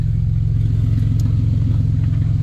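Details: 1990 Dodge Grand Caravan LE after reassembly, low on fuel: loud, raw, steady low rumble at idle with sharp exhaust bark, sound pouring straight out after the catalytic converter with no muffling; exhaust leak.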